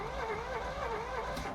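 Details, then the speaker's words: 1986 Chevy Corvette C4 project car, fresh spark plugs, first start attempt: starter churns evenly about three beats a second, turning freely with zero combustion. Cranks, no start; fuel pump not heard priming. "So, I I can feel there's zero combustion going on, so it's probably And I didn't hear the fuel pump prime at all when I click it on."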